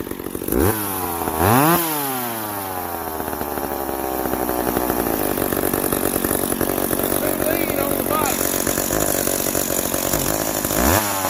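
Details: Old McCulloch 710 chainsaw with its carburetor deliberately set out of adjustment after being well tuned. It blips up, then settles into a rough, wavering high buzz that hunts: carburetor out of adjustment.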